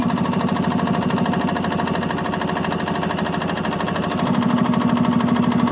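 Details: 1986 Yamaha G1 gas two-stroke golf cart after the carburetor was cleaned (it had been cranking with no start and fuel that smelled like diesel): quick, steady putter at about three pulses a second, even firing and no misses; repair successful.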